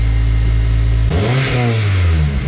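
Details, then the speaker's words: 2002 RSX Base converted from a K20A3 and 5-speed to a 2005 RSX Type S K20Z1 engine and 6-speed, start after swap and rewiring, fuel pump priming: steady even idle, then a clean rev with no stumbles or knocks; running beautifully. "so yeah the car is running beautifully"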